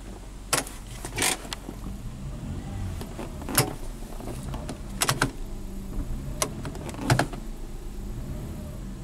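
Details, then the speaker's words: Classic Lexus that only drives in reverse, transmission connector unplugged: sharp clunks over steady idle as selector engages, clunkier than before; codes then show shift solenoid A and B electrical faults. "So it's definitely clunkier."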